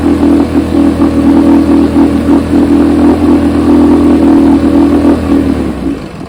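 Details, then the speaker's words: Test motor on a freshly rebuilt carburetor from a 1972 Evinrude 9.5 HP outboard: even, buzzy two-stroke note at a steady pace, fading out as the gas is deliberately run dry before shipping; the rebuilt carb tested fine. "As you can see, the carburetor tested just fine."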